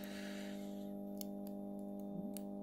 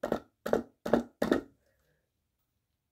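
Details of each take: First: Recovered fluorescent tube starter tested after removing its capacitor: quiet steady mains hum with a few faint ticks over about two seconds; starter works but is slow, taking about 2 seconds to strike; fault was the capacitor. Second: Compact fluorescent lamp, 11 W 2700 K spiral, HF-marked, salvaged from recycling: four sharp crackling bursts then faint scattered crackles while it fails to light at all; something inside may have blown, cause unknown.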